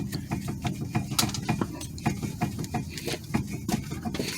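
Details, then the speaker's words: Toyota Sienna steering: sharp, irregular metallic clunks each time the tie rod is rocked by hand. The play is inside the steering rack, not the tie rod, so the rack is being replaced. "all right let's see if the camera can hear the Clank it's it has a lot of play inside there so that's why I'm replacing"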